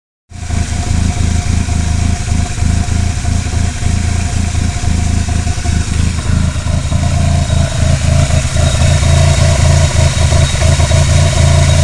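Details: Mitsubishi Conquest TSi turbo petrol engine idling unevenly with a lumpy beat and wavering low drone; rough idle, cause unknown.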